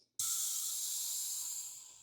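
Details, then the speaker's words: BMW 650i V8 cooling system pressure-tested under one bar with tester kit; sudden loud hiss slowly fading as coolant pours out; coolant leak from cracked plastic expansion tank, to be replaced. "That is the plastic cooling tank. Look at that. Ready? It's pouring out."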